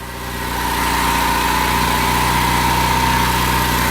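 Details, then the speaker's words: EcoBoost-swapped DeLorean after a remote ECU retune from the UK: steady idle at 900 rpm, 164 degrees on the temp, throttle 1%, smooth low hum, no misses or knocks; good fuel and oil pressure, lambda on target; normal idle. "Man, listen to that puppy run. We're doing great here. 900 RPM, 164 degrees on the temp."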